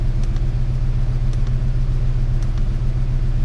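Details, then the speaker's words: 1998 Ford Ranger 3.0 (swapped engine) after repair of a high, rough idle: steady, even idle at about 880 rpm, desired about 896, idle air solenoid at 34%; runs normally. "I don't know if it's correct or not but it is definitely running better um see RPM is 880"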